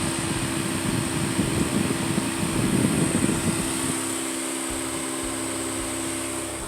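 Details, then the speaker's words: 1997 Toyota Camry LE 2.2L 4-cyl, overheating concern: steady whooshing radiator fan roar drops out; fan cuts in and out, fault in that fan's relay or its socket, relay suspected bad. "So there's something wrong with that relay or the socket that it's in. You see now, the fan's off again."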